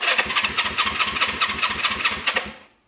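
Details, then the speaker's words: 1974 Honda CB360 motorcycle cranking: rapid even starter chatter for about two and a half seconds, engine cranks fine but never catches; crank no start, no spark. "actually no spark and no surprise i got a little greedy guys got a little greedy"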